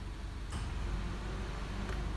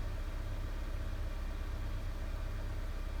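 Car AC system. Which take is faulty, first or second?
second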